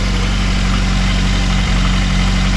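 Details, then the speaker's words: VAZ 2109 after head gasket replacement, fully cold engine at idle with the heater on full while bleeding the cooling system: steady, even low idle with a smooth hum and only minimal light ticking, no misfire; normal cold idle. "Ну не троїть в принципі навіть даже тихо блок працює перестук мінімальний"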